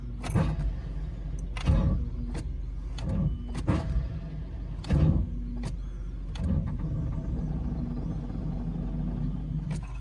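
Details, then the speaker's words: 1987 Corvette C4 with TPI, battery dead and charger on high boost: several uneven labored crank bursts then a dull hum, slow cranking; owner suspects bad starter, not confirmed. "Oh, come on. Actually sounds like the starter might be fucked."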